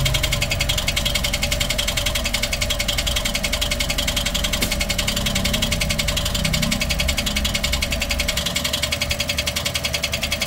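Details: Toyota 1NR-FE engine at idle with a noise complaint: steady, fast, bright tappy ticking about two to three per second over the idle, lifter-like. Cause not confirmed; engine being taken apart to check.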